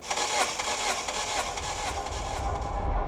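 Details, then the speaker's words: Mystery Mitsubishi Evo sitting 17 years, compression test while cranking: all four cylinders read 200, a pass; starter churns steadily at about two beats a second with no uneven or skipping strokes, fitting even compression: normal cranking. "200. Bang on across all four. That is a pass on step six."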